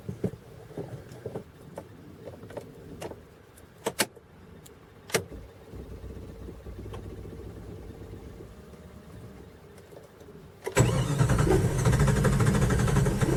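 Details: Cold morning start of a 5.2 engine that starts and runs fine warm: quiet clicks and rattles, then it suddenly turns over loud and low near the end; hard cold start. Owner suspects temp sensor, throttle body sensor or computer; cause unconfirmed.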